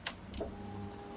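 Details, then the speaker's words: 2004 Honda CBR600RR whose fuel pump would not prime until the key with its immobilizer chip was restored: relay clicks, then a faint steady pump whir priming normally at key-on, and the bike starts straight away. "to as you can hear the prime and the bike start straight away guys that been a long two weeks but I finally got there"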